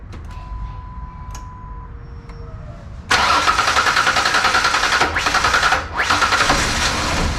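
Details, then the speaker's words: Rebuilt Ford Ranger 4.0 first start: fired once, now steady cranking near three and a half turns a second with no catch. Owner suspects air in the fuel rail; fixing a ground wire didn't help. Cause unconfirmed. "it doesn't want to start back up now what's that about there's a little bit of air in the fuel rail maybe that come on baby come on baby"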